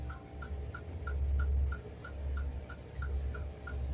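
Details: Samsung RS27KLMR refrigerator (board DA41-00139A) that stopped working after an electrical problem, with a damaged connector and an unstable power supply: steady light ticking about three times a second over a low fan hum from the electronic board.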